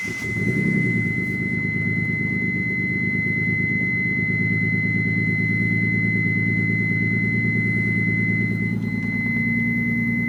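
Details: Mitsubishi 3000GT VR4 petrol engine: idling with an uneven, stumbling pulse rather than a smooth beat; owner unsure whether a valve problem or a bad misfire; engine misfire at idle.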